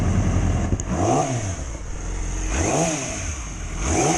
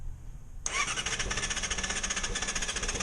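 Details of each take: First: 2006+ Yamaha R6 after fixing a common dying-at-idle issue (it died at stops below about 160–170°F, worse in cold): three quick throttle blips rise and fall cleanly, then it settles to an even idle without stumbling; normal. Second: 2006+ Yamaha R6, cold below about 160–170°F, starts abruptly and idles with a quick, uneven pulse and stalls; owner suspects valve clearance (valves last adjusted at 25,000) and the removed catalytic converter.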